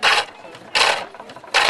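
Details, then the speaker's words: Pole lathe, roughing-out gouge on an ash chair-leg blank now nearly round: three crisp, even hissing cuts about every three-quarters of a second; the chisel's note changes as the wood gets rounder. "And as it gets rounder, you can hear a change in the note of the chisel."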